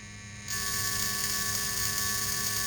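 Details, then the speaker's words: Magneto coil from a 1916 Evinrude rowboat motor on a Merc-O-Tronic tester, power turned up slowly then backed to minimum: steady even high buzz of consistent spark at about 1 on the scale, indicating a good coil. "so i got a consistent spark there i turned it back a little bit and i'm trying to use the minimal amount okay so on the mercatronic scale it looks like it's about about a one arm okay so indeed it looks like i have a good coil"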